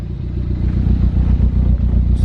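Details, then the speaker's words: Ford Focus ST after engine swap, running with coolant being added and burped, downpipe fitted, low on fuel; even, steady low idle with smooth firing, no knock or rattle; engine sounds good, not blown, normal idle. "The car is low on gas or whatever. Right now it sounds pretty good."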